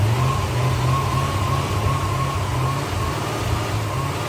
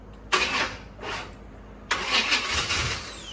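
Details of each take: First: C4 Corvette V8 started via jumper switch bypassing a bad starter/relay circuit: deep steady rumble with light revs, no knocks, ticks or rattles, no smoke; won't run on its own fuel, carburetor plugged up. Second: Newly bought C4 Corvette, fuel pump on, slight gas held while cranking: two short bursts of cranking with sputters, never picks up speed or idles; cranks but won't start.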